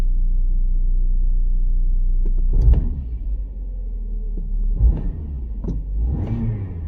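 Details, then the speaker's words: 2013 Kia Sorento 2.4L that stalls and runs rough, codes P0017, P0106, P0191: low uneven idle with lumpy surges between blips; exhaust cam timing off, phaser near -80, actuator sticking. "Our exhaust cam looks like it's off. [Music] Yeah, look at that. Our exhaust is moving around."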